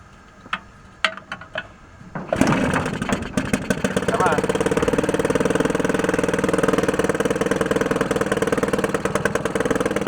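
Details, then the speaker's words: 1949 Atlas Royal 1.5 hp outboard barn find, start with choke and more gas: after a few pulls it catches into a fast uneven putter, coughing and stumbling at idle; owner thinks the air-fuel mixture needs adjusting. "got a p out of it wants to one more time I try it maybe one more after that it's coughing a"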